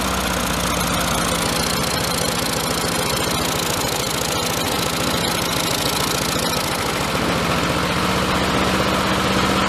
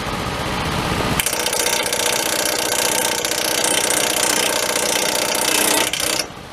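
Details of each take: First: Lawn mower with rotted frame, primed, running after air filter removed: single-cylinder engine runs with an uneven stumbling beat and loose clattery tone, rough running. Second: Small engine: catches after a second and runs at a loud, even, busy clatter for five seconds before cutting off; normal running.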